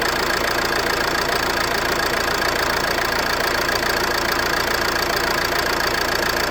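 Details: Ford C-Max at idle: regular, quick light knock about three and a half a second over the engine note; owner suspects the flywheel, source unclear.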